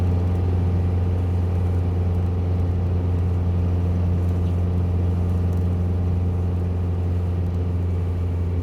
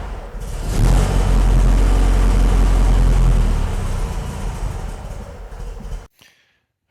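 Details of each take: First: 1967 VW Bug after fuel-leak repairs, recorded from inside the car while driving, following street and freeway driving; even, deep rumble holds steady under way with no misses or stumbles: normal running. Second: 1967 VW Bug after a carburetor fuel-leak repair that stopped the leak but also let no fuel into that carburetor; fires and runs with a heavy, lumpy low thump, uneven and down on power, only two cylinders firing: rough running, one carb starved of fuel.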